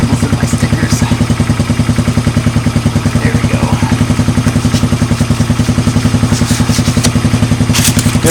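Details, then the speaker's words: 1986 Honda TRX200 ATV, just started and warming up: loping idle at about 200 pulses a minute with light metallic clinky-clanky sounds, attributed to baffles and rusted material rattling in the exhaust pipe. "you hear a little clinky clinky clanky that's just baffles and rusted stuff in the exhaust pipe"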